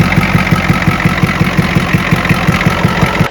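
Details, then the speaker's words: 1986 Ford F350 6.9 IDI diesel after a defective battery was found: steady, even idle clatter with regular firing pulses and no misses. Normal diesel idle. "Just like that, after one defective battery, you're gonna run a key engine. It fires immediately."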